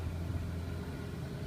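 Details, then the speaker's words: 1980 Chevy Luv truck, long unused and revived: ignition timing was found at about 22–24 degrees advance against a 6-degree spec and backed off to about 12. It now idles smoothly with a low, even rumble and no misses or hunting. "it was really advanced and so I backed it off to about 12 seem to be idling pretty pretty nice and smooth at 12"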